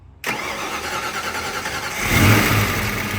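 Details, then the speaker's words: Foxbody Mustang project car after adding water and fixing the fuel problem: catches at once, settles into a smooth idle, brief clean throttle blip; normal start and idle. "starts up now it sounds good we added water and finally fixed the fuel problem"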